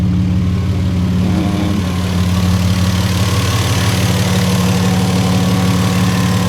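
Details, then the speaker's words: 1975 Toyota Crown MS85 with 2JZ swap, after an upgraded in-tank fuel pump was fitted; smooth steady idle with no pump whine, much quieter than the old noisy pump, no leaks, fuel pressure 40 PSI. "all right so I have no leak much much quieter I hated the other one used to be really noisy"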